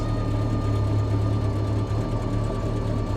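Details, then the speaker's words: Bombardier "Bombi" with Holley Sniper 1100 fuel injection and a new coil, after exhaust manifold crack repair, idling without throttle: steady even low rumble, much quieter now; normal idle, though the engine later cuts out unexplained. "pretty darn good. I'm not touching the gas pedal at all. Okay. That's actually sounded pretty good. Boy, does that thing ever run a lot more quiet now."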